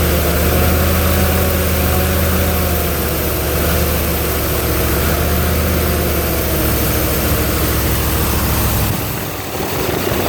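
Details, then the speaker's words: Ford 302 V8 driving an air compressor, after a tune-up with new plugs, plug wires, cap and rotor and a new fuel pump; steady, even low idle drone with no misses or knocks, running smoothly. "does sound a whole lot better too since I did a tune up on it. New plugs and plug wires, cap, and rotor. So it's run a lot better. Sounds better too."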